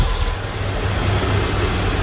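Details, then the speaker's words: Corvette C3 V8 with a Holley carburetor, idling after the idle mixture and ignition timing were set; it previously ran on only three or four cylinders. Smooth, steady low rumble with no dropped beats, so all eight cylinders fire evenly. "हाँ, इंजन वास्तव में काफी अच्छी तरह से चल रहा है, मैं इंजन के चलने से काफी संतुष्ट हूँ,"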